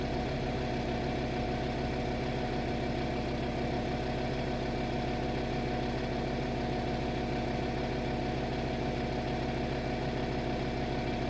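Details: VW Touareg 7L 2.5 TDI R5 diesel after glow plug replacement: started instantly, no smoke; even, steady diesel clatter with no misses, hunting or stumbles; healthy idle.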